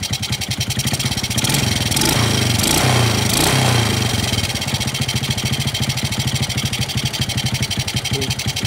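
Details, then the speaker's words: 4-stroke carbureted motorcycle (Smash) that was hard to start, with high fuel use and weak power: after adjusting the too-tight valve clearance, it idles evenly with a brief throttle blip. It now starts easily without choking the carburetor. "nah jadi ini bisa stasioner atau bisa langkang untuk hidupnya juga Gampang sekali engkol dia enggak perlu buka enggak perlu tutup karbu ya untuk menghidupkannya"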